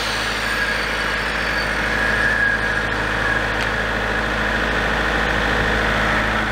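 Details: Large diesel generator set bought at auction, after repair of its shutdown fault: a steady, even diesel drone with no misses, knocks or hunting, run for a while. Normal running.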